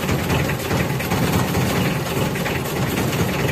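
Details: Mitsubishi L300 diesel, still hot, with white, eye-stinging exhaust smoke (leaking injector suspected, possibly broken piston rings): idles with a low, slightly uneven clatter and faint wavering beat; rough idle, cause not confirmed.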